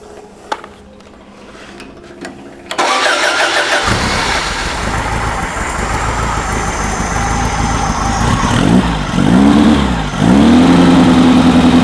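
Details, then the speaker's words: Freshly built VW engine for a Baja Bug: a short crank, catches at once, then a steady, even idle with clean blips and 50 lb oil pressure. Runs healthy. "boy what a difference you can you can hear how well it runs too as compared Locker there sweet yeah beautiful beautiful great oil pressure at idle 50 lb"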